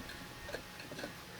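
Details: Junkyard Yamaha 175 engine with cylinder and head off, cleaned of dirt and grease, turned slowly by hand: faint light ticks about twice a second; dry engine tick, owner thinks it will be fine once oiled, cause unconfirmed.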